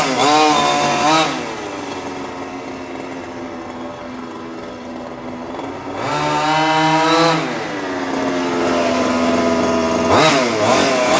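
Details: New HPI Baja 5T small two-stroke, first slow drive after ~30 s warm-up: high buzzy idle, revs up and drops back cleanly twice without stumbling. Running properly; idle slightly high, left until first tank or two before tuning.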